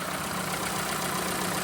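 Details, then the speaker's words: Low-mileage one-owner VW Golf Mk4 petrol after new, gap-checked spark plugs to repair a misfire: even, steady idle with no stumble or miss; running lovely, misfire fixed, engine light still on. "I think it's fair to say that's fixed. That is running absolutely lovely."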